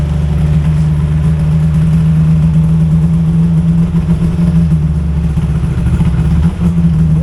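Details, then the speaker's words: Yamaha VMax 700 triple two-stroke snowmobile, bought new in 2001, not run since 2021, cold start with the back end lifted: steady even burble at idle with no knocks or misses; runs healthy, idle may need slight adjustment. "oh she runs so good that's great"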